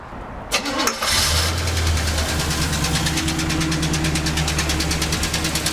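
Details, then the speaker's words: Engine revved hard once, after an oil, fluid and coolant change with detergent in the oil: it cranks and catches, then a steady knock about three per second rides over the idle. Inspected valve covers showed nothing loose; owner fears a connecting rod. "see you guys can see that it still makes that noise so now I'm little worried about maybe one of the rods in there or something"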